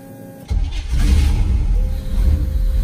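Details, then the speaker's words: Two-door bobbed Range Rover Classic with Holley EFI and 3-inch lift, second start attempt after first failed crank: brief quiet then engine catches at once into a firm steady rumble; clean start. "Yay! Yay! She fired up."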